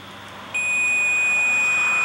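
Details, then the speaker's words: Delsar AC Hot Stick voltage detector, powered by AA alkaline batteries: a single steady high-pitched beep holding without a break. This is the constant low-battery warning telling you to change the batteries. "if the batteries are too low the unit emits a constant warning beep alerting you to change the batteries"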